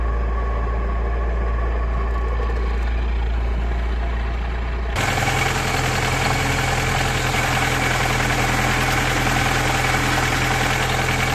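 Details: VAZ 2108/2109 clutch release bearing check: idle hum with a steady whine that changes sharply as the clutch pedal is worked, pointing to a noisy release bearing. Cause suspected, not confirmed.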